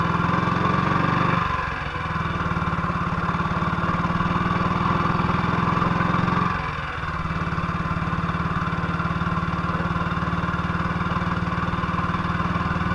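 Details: 1958 BSA C12 single-cylinder on a road test after a misfire fix; the misfire had earlier caused a breakdown, and the battery tested fine at 6.3 V. Ticking over with a steady, even thump and a clean pickup when blipped, with no misses. Normal running.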